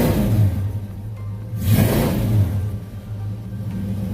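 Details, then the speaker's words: 1986 Ford Mustang LX Foxbody V8 after high-torque mini starter install and new battery cables, in neutral with clutch in, not run in a while: brief crank, catches with deep rumble swelling to even idle; clean start, some oil smoke. "Actually, while you're recording, Sleepy, it's smoking, but it hasn't ran in a while."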